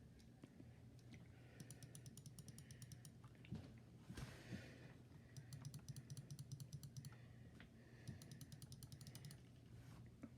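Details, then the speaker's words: Logitech G502 Hero wired mouse: left, right, scroll and side button clicks. Crisp, light, even clicks in quick runs with no rattle or mushiness: normal mouse click. "so today we're gonna be yeah basically we're gonna you read from the title already we're gonna be doing the mouse clicking noise how it sounds"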